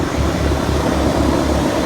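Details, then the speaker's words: Ruud condenser after a freon leak repair and an extra half pound of charge, subcooling bouncing between 7 and 8: a steady, even hum and fan whoosh with a soft low pulse and no rattles or hiss. It runs normally. "7 to 10 is good and it's uh it's doing good it work just fine"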